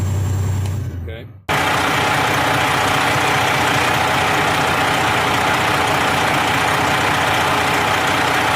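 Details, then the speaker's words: Freightliner Columbia that would not build air pressure, after cleaning the air dryer purge valve, now building air faster: engine drone lulls, then a sharp rushing-air burst; normal air dryer purge. "Should hear it purge any second. There it went. Okay. I'm gonna say we're good."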